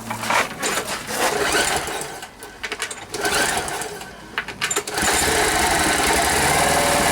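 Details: Rare Briggs and Stratton 5 hp air-cooled outboard, after fixing no-start by making fuel pump line and bulb connections airtight: sputters through uneven bursts, then catches and settles into steady, even buzzing; running healthy.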